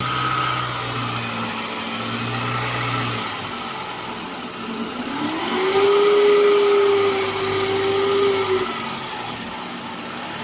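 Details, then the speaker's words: Toyota alternator, engine running: steady mid-pitched whine, worse with A/C or headlights on, from a shorted diode group in the 6-diode rectifier overloading the alternator; gone after diode replacement. "开美税这种异响的话，它是因为有一组二极管击穿了啊，导致发电机的负荷过大啊。比如说你开空调、开大灯，这个声音就特别明显啊。"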